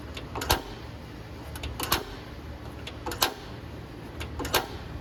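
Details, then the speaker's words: 2022 Wildwood 28VBXL travel trailer griddle, propane unused for a while: sharp electric igniter snaps every one to one-and-a-half seconds over quiet hiss while air purges from the propane line before lighting; normal. "Now it has been a while since this propane system is fired up, so it's going to take a minute just to clear all the air out of the propane lines. That's perfectly normal."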